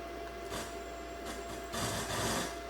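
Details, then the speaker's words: 2014 Ford Focus 2.0 L4 direct-injection, key on, engine off, battery charger connected, with low-voltage codes stored. Irregular hissing bursts of radio static over a quiet cabin, caused by a defective radio head unit (audio control module). "er on it clean battery charger so let's see you can hear that radio static going on battery voltage below threshold"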